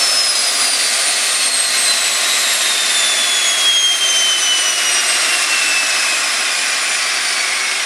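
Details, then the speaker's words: "Hydra" small turbine engine WR27-1, first full run, stabilized at 67,600 rpm and 544 EGT on the governor. Even high-pitched jet whine holding steady, no surging or rough patches; normal full-speed run. "Stabilized at 67,600 and 544 EGT. And you could hear it like, Governor."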